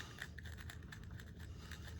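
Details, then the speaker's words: Berkley 829 spinning reel being serviced, with a screw removed from the trip release. A faint gritty scratching rasp with quick repeated ticks comes from a lot of sand packed inside the reel. "there's screw number one you can hear that grit"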